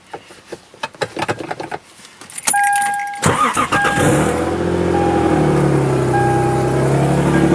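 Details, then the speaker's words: Lexus IS300 just converted from automatic to manual with a Collins CD009 swap kit, started a few days after the swap: the engine cranks and catches into a loud, raspy idle with a puffing chuff because the exhaust is not fully connected and is leaking at an unsealed joint. "Exhaust isn't fully connected, so if you hear it, it is leaking right here. pretty bad. It's leaking, but we're gonna get that all buttoned up in a minute."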